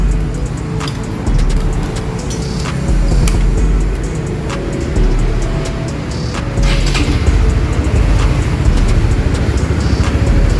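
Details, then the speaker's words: 2021 Honda CBR150R after installing a timing chain tensioner to cure engine rattle; smooth, even low idle with no chain rattle or ticking remaining; normal idle, tensioner now tight. "Di sana, suaranya kembali halus. Jadi, tensioner rantai timing sekarang sudah kencang. Tidak ada suara sisa atau suara rantai yang longgar, suara berderak yang biasanya kalian ceritakan kepada saya, suara berderak dan berdecak itu."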